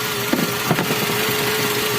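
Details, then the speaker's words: Toyota Avanza idling: power steering pump fine normally but groans with a steady mid-pitched hum when the wheel is held at full lock; oil foaming, hardened pump seals leaking, dirty oil and clogged filter suspected. "Lah Yo menyala pompa power steering lihat aman tapi ketika serinya ditahan bunyi ayo oke hahaha"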